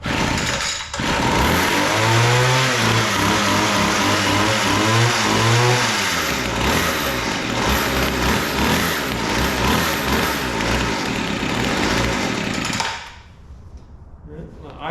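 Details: Weed Eater GHT22 two-stroke hedge trimmer, unused for a long time, restarted after reinstalling the carburetor needle lever: it buzzes, revs, then holds a steady clean note. Still needs carburetor adjustment.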